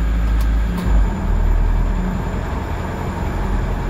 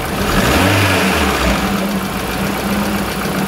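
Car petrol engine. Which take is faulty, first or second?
first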